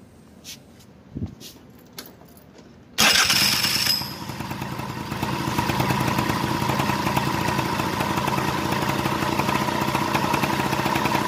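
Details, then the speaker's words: Suzuki Address V100 scooter that would not start on push button (battery new, starter and relay OK); after greasing and refitting the starter drive gear (loose, weak modified spring), it cranks, catches and settles into steady even idle; 28 mm carburetor. Normal start and idle. "start natin ung index drive maluwag na malambot ng spring modified pala to"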